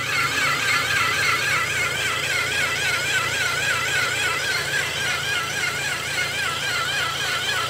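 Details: Toyota Innova petrol engine: high warbling whine wavering three or four times a second, appears right after start with light throttle and persists with the fan removed and fan replaced, so not the fan; engine drone.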